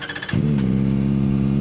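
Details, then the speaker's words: Kawasaki ZX4RR with 500 miles, after fixing a no-start (flywheel work), dash warning lights still flashing: starter whirs briefly, then a smooth, even idle with no knocks or rattles; starts and runs fine. "So, I don't know what those lights are, but it starts up fine. I'm not hearing any weird noises or anything like that."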